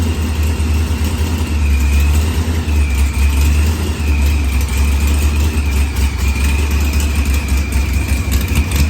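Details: Supercharged LS-swapped Mopar drag car with zoomie headers, fixed after blown head gasket, new IAT and fuel pressure sensor, firmware updated, fuel trimmed, timing 10°; deep steady idle with faint blower whine; normal idle.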